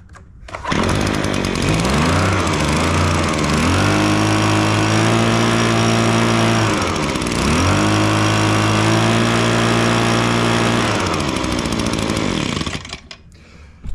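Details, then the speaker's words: Echo PB265L backpack blower after full service (new carburetor, fuel lines, fuel filter, air filter, gaskets, BPM8Y spark plug, tank flushed), started cold: revs smoothly, steady high buzz, clean returns; much quieter than before. "Boy, I tell you what, that's much quieter there."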